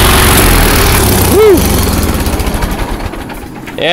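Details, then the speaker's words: Allis-Chalmers 170 tractor, warm, carburetor rebuilt, new plugs and coil, sat two years. Runs briefly, then beat slows and fades unevenly until it dies; owner suspects fuel flow problem, unconfirmed. "to gas again so we've got a flow problem"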